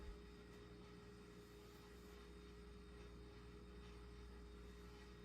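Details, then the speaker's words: Restored Snoopy ceiling fan running on low speed with large (about 52 in) blades sitting too low: steady low drone near 400 Hz with a hollow rumble, airplane-like and rough; cause not yet clear. "okay something's not having a happy time in here I know what it is my God that's like an airplane dude this is frightening"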